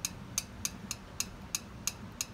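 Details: Crisp, light clicks about three per second on a Yamaha Star 650 (V-Star/Drag Star) with solid lifters, carburetor removed, as a rocker is rocked by hand before the valve lash check; this shows healthy valve free play.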